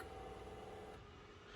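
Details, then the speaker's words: Restored Alfa Romeo 2600 Magneti Marelli wiper motor on bench test, slow speed then park: steady low motor hum easing off smoothly as it stops at the park button; motor parking normally. "It touches this button right here, and that is the park button. And right now, the park button is out. It's resting in the park position."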